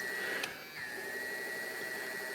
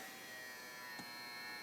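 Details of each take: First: AIWA TP-724 tape recorder: a click, then a steady light whir with a thin high tone; fast forward spins up and runs smoothly. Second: AIWA TP-724 tape recorder fast forward/rewind, other functions working: thin steady motor buzz with faint hiss and no speed build-up; fast forward struggling, slipping idler drive traced to a bent lever and slack idler wheels.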